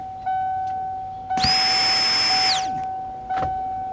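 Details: 1992 first-gen Ford Explorer with newly replaced fuel pump, key turned on to test prime: a high buzzing whine runs about a second and shuts off cleanly; normal fuel pump prime.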